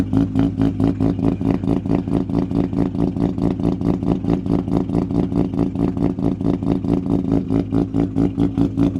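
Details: Mazda FD RX-7 with freshly bridgeported rotary, first start-up after flooding, fuel pump temporarily jumpered: choppy, loping idle pulsing about one and a half times a second, then revving cleanly; running properly.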